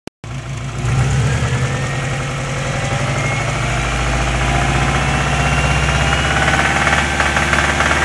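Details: Turbocharged Subaru Impreza WRX petrol engine with a steady, rapid knocking tapping over its low rumble, most noticeable between 2000 and 2500 rpm.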